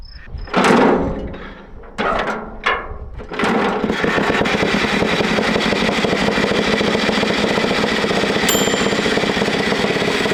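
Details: 1941 Caterpillar dozer, sat for years: pony motor cranking the main diesel, uneven bursts then steady chugging with occasional pops, never catches; they suspect insufficient fuel.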